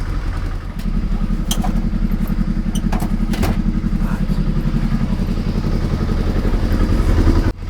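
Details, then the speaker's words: Kawasaki ZXR750 H1 after a carb clean, just started and not yet warm: a lumpy, uneven idle with stumbling, clatter and occasional backfiring. Rough idle from unsynchronised carburettors, confirmed way out on vacuum gauges. "See on the gauges, carburetors are absolutely miles out of synchronization. Not surprising. It doesn't sound right. It's back backfiring every so often."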